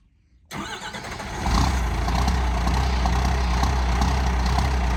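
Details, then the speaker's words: 1985 Ford F250 with 12-valve Cummins swap, about 24°F cold start after sitting overnight, no grid heater, not plugged in, timing turned up, air leak at overflow valve: stumbles, catches late, rough heavy idle, a hard cold start. "it has a small air leak from the overflow valve i need to replace that so it's gonna it's gonna do a pretty good hard start and then probably die and then start again so we'll see what it does"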